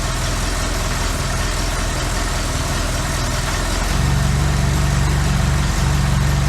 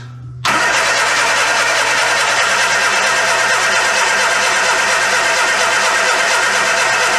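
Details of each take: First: Classic Austin Mini, first start in 9 months with basic ignition timing just set: steady, even low-pitched engine beat that smooths and firms up after a shift clunk near four seconds, once moved from reverse into neutral; healthy idle. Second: Classic Austin Mini on first start in 9 months after setting basic ignition timing, brake cleaner sprayed in: loud ragged firing, brief break, uneven running that dies away; engine catches but won't keep going, owner advances timing; automatic was left in reverse.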